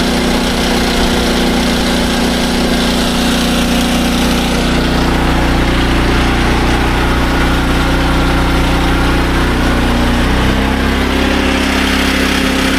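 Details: SDMO 5000W generator with a Briggs & Stratton engine (about 18 hp), restored after a no-power complaint. Load test with a 1500 W heater and a light: a loud, even drone holds speed with a slight pitch shift as load comes on. It runs healthy.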